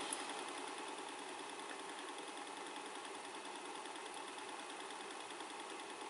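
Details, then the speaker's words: 1980 Technics RS-M5 cassette deck after repair and restoration, mechanism reconnected to the main board for a test run, rewinding a freshly recorded tape: steady high hiss and whirr of fast, even spooling with no catching, dragging or squeal; rewind works perfectly, auto stop works. "And as you can tell, the rewind works perfectly."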